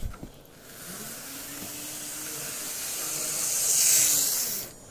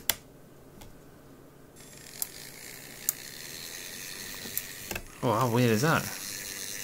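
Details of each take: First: Graham Farish N gauge GNER HST power car, Poole-type chassis, running slowly after fix; high even whirr swelling and fading, no stutter; fault was a gear too thick for the worm gear. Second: Graham Farish N-gauge GNER HST non-runner: faint irregular clicking over a quiet motor hum with a brief whirring burst, heard in one running direction only; other direction fine, cause not yet found.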